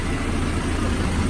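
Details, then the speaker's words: Freshly installed B16A3 in a 2000 Civic Si clone, at startup idle: smooth and steady with no knocking. Motor mounts are not fully shimmed, the coolant system still has air in it, and the timing belt rubs. "nothing's knocking everything's very great"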